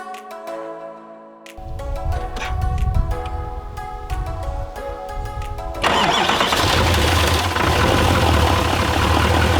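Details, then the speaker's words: 2018 GMC Sierra 3500HD Z71 after a rollover, cold start: engine catches and settles into a fast, even cold idle with no knocks or ticks. Normal cold start idle. "As you can hear, the engine runs clean. Now it's picking it up RPMs because it's cold. So no knocks, no nothing."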